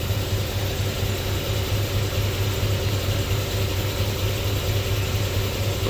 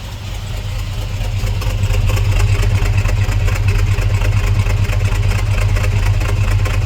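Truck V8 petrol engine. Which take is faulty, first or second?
first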